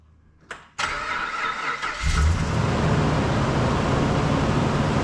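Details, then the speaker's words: Dodge Ram 2500 that kept dying, heard after repair of its corroded TIPM fuse box. The starter cranks briefly, then the engine catches and runs steadily with no stumbling or dying. Normal running; the stalling is fixed. "notice how it's not dying like it was that means it's fixed"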